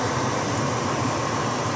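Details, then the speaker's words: Car heater blower fan running, blowing hot air out of vents: steady even rush of air with faint whirr, no knocks or rattles; fan works but slightly noisy. "That's the fan turned off, so it's quiet. Fan's a little noisy, but that's about it."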